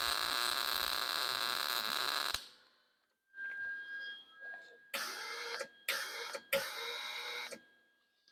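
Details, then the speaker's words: Lincoln 140 Pro MIG welder, .035 wire, wire speed turned down: arc crackles in short uneven bursts that cut out and restart; wire hanging up, liner may need blowing out. "yeah see she's hanging up somewhere so what we're going to do is um we're going to actually take a look at the the liner uh liner night might need to be blown out"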